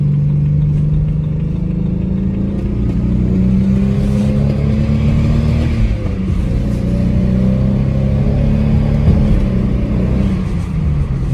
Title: Misfire cylinder 5 with unknown ticking noise